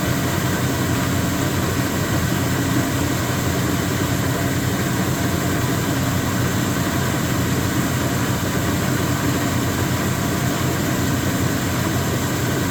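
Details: Speed Queen TR washer running: loud, steady rumbling drone with rough rattling edge; knocking caused by play in the drive pulley because the pulley nut had loosened.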